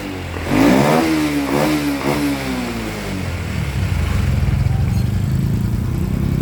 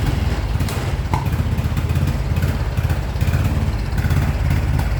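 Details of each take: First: 2014 Honda Wave110i after fuel injector replacement (valves normal): single-cylinder revs up cleanly in a few crisp blips, then settles to an even idle, pulling freely with no bogging. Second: 2014 Honda Wave110i, hard to start, dies when throttle is released, won't rev. Single-cylinder engine putters and stumbles unevenly at low revs, never settling into a clean idle; spark plug and MAP sensor were fine.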